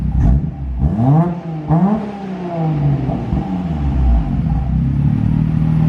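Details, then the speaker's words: 1990 R32 Skyline GT-R RB26DETT after new injectors, spark plugs, coil packs and fuel filter: the engine blips up and settles into a steady, even idle with no knocks or misses, sounding healthy. "that sounds more like an rb is supposed to sound saves us some time"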